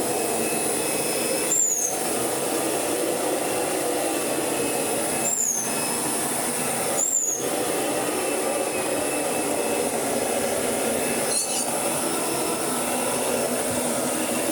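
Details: Kirby Sentria 2 vacuum after full strip-down, cleaning and restoration, running during carpet shampooing demonstration: steady even motor roar with high constant whine and brief handling clicks; vacuum motor running smoothly, healthy.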